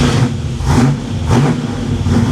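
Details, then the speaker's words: 1987 Chevy Monte Carlo SS V8, cold start on choke in neutral after new transmission and driveshaft install: deep, even rumble rising and falling slightly, no knocks or ticks; normal cold high idle before first shift into gear. "God this thing sounds so good I am so nervous to put this in gear"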